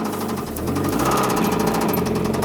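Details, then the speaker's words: Mazda Miata petrol engine idling with a fast, steady knock, getting louder; first thought to be hydraulic lifter tick; oil pressure drops low while driving though oil level fine; engine later replaced. "at first we thought it was liquid tick or at liquid tape lifter tick but sorry getting louder and it's like knocking like this"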